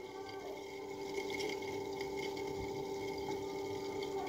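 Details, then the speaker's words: Water pump motor powered on: a steady electrical hum with no spin-up, only faint weak turning when turned by hand. This points to a burnt winding that needs rewinding; a test pen lighting up would confirm a shorted winding. "adalah satu ciri-ciri gulungan ini sudah terbakar atau minta digulung ulang"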